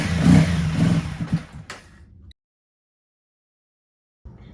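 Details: 2016 Honda CBR300R, 1,133 miles, stored seven years with a nearly empty tank; fresh gas plus additive, jump pack: several seconds of uneven cranking that never catches, no pump whir heard; cranking no-start from a dead fuel pump.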